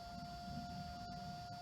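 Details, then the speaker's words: ToolkitRC M6 150W 10A smart balance charger in discharge mode: quiet, steady whir with a constant thin whine and no rattle or ticking; the cooling fan is running normally. "that is the sound of the fan"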